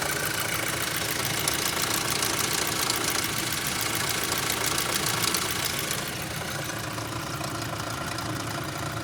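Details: 2006 Audi A3 2.0L at idle: fast, even metallic tapping about three and a half beats a second, persisting after the oil sump was cleared; knock source not pinned down.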